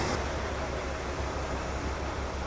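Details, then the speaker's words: 1980 Cadillac Coupe DeVille, 6.0 L 368 V8, warmed up and idling just after an oil and filter change (Valvoline VR-1 10W-30, Wix filter), oil pressure light out; steady deep idle, no ticking or knocking, normal. "Okay, just gonna let her run. I'm gonna listen to it, make sure she's happy."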